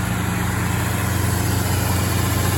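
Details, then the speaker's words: 1962 Mercury Monterey Commuter wagon after Pertronix ignition kit, new coil, rotor, cap, plugs and wires, carburetor not yet adjusted: steady deep raised idle with even pulse on choke, no stumbling; normal fast idle, choke suspected not working right. "I don't think the choke's working on it just quite right. Last time I had it going, the idle's a bit high for sure."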